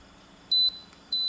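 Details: Haier inverter air conditioner, repaired for not cooling and its fan not running, with a rusting control board: two short, clean high beeps about half a second apart on power-up, a normal power-on signal before the 220–240 V fan supply is measured.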